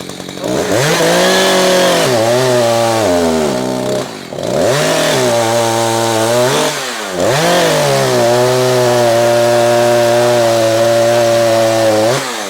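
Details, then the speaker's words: Echo CS-590 chainsaw after turning the high-speed screw a quarter left: revs high but sounds fat and blubbery, wavering instead of screaming clean; high-speed mixture too rich. "Alright, see there, I've got too fat."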